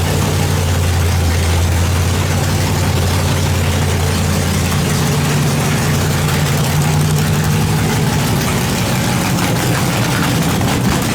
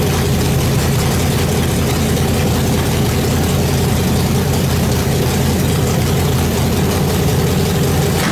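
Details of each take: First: Nitrous small-block Chevy V8 project car, first start after build: loud lumpy idle with deep uneven loping burble, running rich; fuel pressure too high, needs turning down. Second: Nitrous small-block Chevy V8 in the Brooklyn Dodger build, first start after a fast build, following fuel pressure trouble (too much fuel): loud, steady, lumpy-cam idle through open pipes, holding even without stalling; it starts, runs and idles normally.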